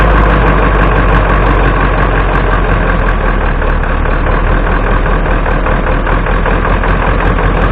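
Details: 1996 Ford F250 7.3 Powerstroke diesel, started in about 30°F after sitting 2.5 years on 7-year-old batteries; loud steady low idle with even clatter about three beats a second, no misses, running fine.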